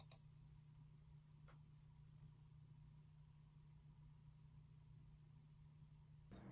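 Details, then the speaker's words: Galax (KFA2) RTX 3080 SG graphics card after replacing stock fans with three Noctua 92mm NF-A9 chromax fans: faint steady low hum with no ticking or rattle; much quieter than stock, running normally. "okay so as you could see everything is working the fans are spinning the rgb is on and it's much much quieter than the stock fans"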